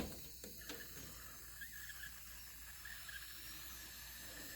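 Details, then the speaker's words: Home pressure canner of potato jars after the gauge dropped and the canner was opened; soft, steady hiss and faint fizzing with a few small clicks in a quiet room; jars still venting and hissing as one was lifted out. "you can probably hear the hissing and fizzing I went to grab one of the jars and pull it out of the canner and it started hissing like don't do it again"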